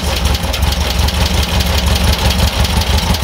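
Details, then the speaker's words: Air-cooled VW bus engine, freshly rebuilt, with dual carbs, during carb balancing with an airflow meter reading about 3.5 to 4: slow, lumpy putter just under three beats a second; idle set too low, so one side is being raised. "that one's a little about the same but it's idling super low so I think we're actually going to bring this side up just a little bit"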